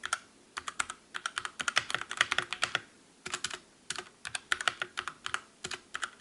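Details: Calibur keyboard with Otemu red switches in a typing comparison against the Motospeed CK62: crisp, soft clicks in quick irregular bursts with no metallic ping after each press. Normal, clean keyboard typing.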